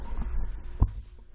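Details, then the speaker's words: 1992 Data East Hook pinball machine after power board replacement: low steady 60 Hz mains hum from the sound board with one soft thump; fixed by fitting a desktop computer ATX power supply. "I replaced the board power board rotten dog amusements and now I have a buzz that comes from this card sound card"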